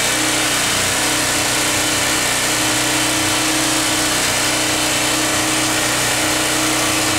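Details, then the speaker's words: 1980s PowerMate PM1500 1500-watt generator after carburetor cleaning: loud, steady engine drone with an even beat and no misses, knocks or surging; engine running normally, though an electrical fault remains. "We cleaned it. The engine runs great now."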